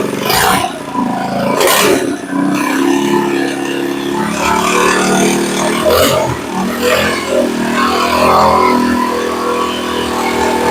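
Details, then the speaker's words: Earthquake Versa tiller that sat a year, idling right after a carburetor replacement: engine speed rises and falls every few seconds with a harmonic, hunting because the idle was set far too low. "you could hear that harmonic when I first started it and you could see it was idling up and down and up and down and the reason it was doing that was the idle was set completely out"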